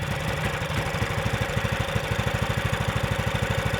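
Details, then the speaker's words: Predator 420cc engine swapped into an old Polaris ATV, balance shaft retained, quiet exhaust, electric start: even steady thumping idle with clear mechanical clatter, no misses or knocks; normal idle, engine louder than expected. "it's kind of a noisy engine isn't it yeah yeah it is since we like our exhaust is seriously so quiet the engine is louder than we thought"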